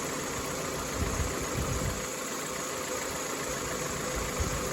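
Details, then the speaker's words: Toyota Camry with automatic transmission, first start after full engine reassembly with oil pump primed, temporary water as coolant, still cold; even steady idle with no knocks or rattles, to be warmed up and checked for codes; normal idle. "We'll let it idle, get it up to temperature, see if it throws any codes. But that is running."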